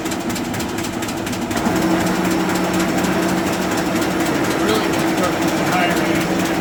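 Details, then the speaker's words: Arter A3-12 rotary surface grinder (12" wheel, 13" electromagnetic chuck, 220 V three-phase) running: a steady drone with light, regular ticking from the flat spindle drive belt's seam going around, no grinding or knocks. Normal, good-running machine. "really all the noise you hear is that the seam and the belt going around looking but it's a good running machine"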